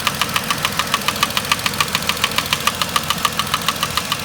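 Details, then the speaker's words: 2010 Vauxhall Corsa 1.0 Ecoflex three-cylinder replacement engine at idle: crisp regular metallic tapping about 3.5 per second from worn inlet manifold swirl flaps, mimicking engine knock. "but these swirl flaps are rattling they are rattling like how can I even put it"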